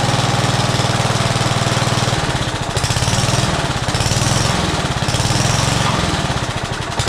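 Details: Old Rover push mower stored about 10 years, rusty, primer bulb refitted: single-cylinder putter running on its own with gentle surging speed; engine running.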